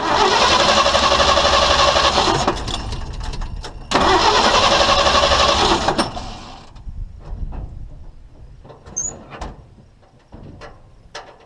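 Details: Long-parked old International truck with a new fuel pump, priming gas poured into the carburetor: fires and runs strongly about six seconds, then fades and stalls with no recovery; it burns the prime.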